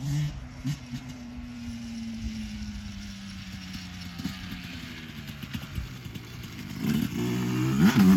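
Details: 2024 Yamaha YZ125 two-stroke after new FMF pipe and silencer, JD jetting kit and Castrol full-synthetic oil to cure jetting problems and fouled plugs: crisp revs climbing fast, pulling hard at the top, idle still slightly high between blips, owner to adjust; power band hits harder; strong.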